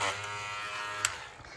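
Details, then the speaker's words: Hair clipper buzzing with a sharp click, then tone weakens and roughens as the blade chews hair with the lever at zero; worn blade pulling hair. "Começou a mascar. Significa que vai puxar muito o cabelo."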